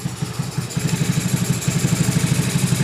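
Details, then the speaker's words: Honda Beat carburettor scooter, over 8 years old, with very high fuel consumption, before repair: steady idle with rhythmic huffing at the carburettor intake, about three a second, like an air leak. Faulty auto choke. "Suara dari karbunya ada suara yang kurang normal ya. Nah, ada gejala suara yang nggak normal dari bagian karbunya. Dan untuk suaranya hos-hosan ya."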